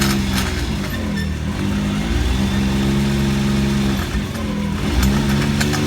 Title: X3 driveline grinding sound